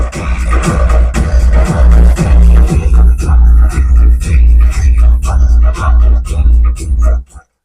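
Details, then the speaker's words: Cave 3000 W amplifier, one channel's parts burned by high voltage: loud bass-heavy music turns torn and crackly as volume rises on first channel while second channel plays cleanly; faulty channel. "हूं तो इसमें फटी फटी आवाज आ रही है इसका दूसरा चैनल देख लेते हैं"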